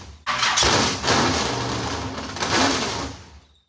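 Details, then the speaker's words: Modified car's first start after months of work. Fires straight up and runs rough about three seconds, then fades and dies; stalls after start. The shelf-stock fuel pump was found bad and not delivering fuel. "well you got to love new car blues uh it appears this is a bad fuel pump unfortunately this is a fuel pump that I had on our Shelf"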